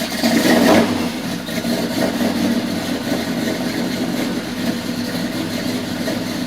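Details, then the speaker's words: Small-block Chevy V8 with HEI distributor turned fully against its limit while setting timing: loud, lumpy idle with slow, uneven cam lope that sags; timing still retarded, owner plans to move distributor one more tooth. "kind of like that timing where it was at right there i could hear that cam a lot better it was slow but i think i'm gonna pull everything apart one more time i'm gonna move it one more tooth"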